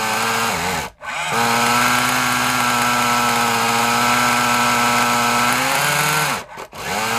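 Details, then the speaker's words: Kyosho Mini Inferno nitro RC engine after priming and a carburetor screw adjustment: a high buzzing run that stumbles and nearly cuts out twice, then recovers. Erratic running; the owner suspects the glow plug and has no spare. "oh all right and the problem is glow plug to be honest and I haven't got another one of them"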